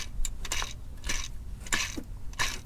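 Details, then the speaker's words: Idler pulley on an engine serpentine belt, belt slipped off and pulley spun by hand: repeated short gritty rasps from a worn, rough bearing; a new pulley spins silent. "got that super gritty sound that makes a noise when it's actually running"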